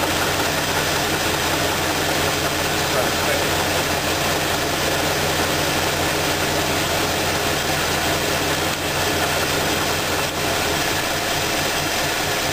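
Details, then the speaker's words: Steady idle with a dull, regular knock in time with the crank, after isolating the knock to number two cylinder by pulling plug wires; rod knock from a spun rod bearing. "now that we determined that the knocking noise is coming on number two cylinder"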